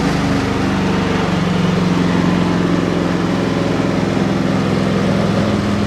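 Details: Ariens 30 EFI snow blower, sat 5 months with half a tank of regular unleaded treated with Sea Foam, started first pull on idle: steady, low single-cylinder putter, even with no stumbles or knocks; normal idle.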